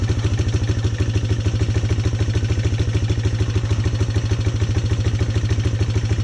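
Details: Polaris Sportsman 300 single-cylinder ATV during tune-up work: steady, even idle thump with a firm low note and no knocks or misses; running a lot better.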